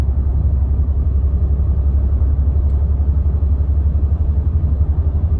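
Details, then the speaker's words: Car driving as sticking brake caliper heats, brake fluid expanding and pressing pads on rotor: deep rhythmic thumping rumble about four pulses a second with vibration, getting louder; black brake dust visible. "And I can already start to feel the vibration in the car. You can hear like a thumping noise."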